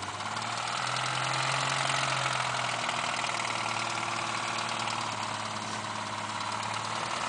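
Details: Jimmy's truck engine idling rough after off-roading, faint uneven knock beneath hiss; first suspected ring and pinion, heard only at wide open throttle, but a connecting rod had started knocking, teardown found a broken rod and spun bearings.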